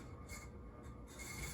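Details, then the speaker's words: Sears plastic Emerson Designer ceiling fan with bearings described as kind of bad: a thin high squeal comes and goes over the soft hum; owner suspects dry or worn bearings, may need running in or oiling. "The bearings are kind of bad. I either need to run this for a while, or we'll see if it's gonna calm down, or I just need to oil them. But that's bad. Oh, it sounds bad."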